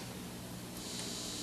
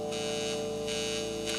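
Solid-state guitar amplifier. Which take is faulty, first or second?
second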